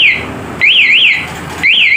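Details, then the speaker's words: Kawasaki D-Tracker with CR7 alarm locked, starter pressed with key in: loud warbling siren in repeated bursts, growing louder, engine silent; alarm working normally and blocking the start. "starter starter sedangkan menyala ya malah makin keras suaranya dek satruning ya starter lagi"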